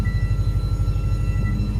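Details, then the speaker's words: 2006 Subaru Forester XT just after a fuel pump replacement: a faint steady whine over an even idle as the pump refills the depressurized lines, stopping soon after; normal priming whine. "We have squeak. We have a squeaky fuel pump again. So it starts, but the fuel pump is whining."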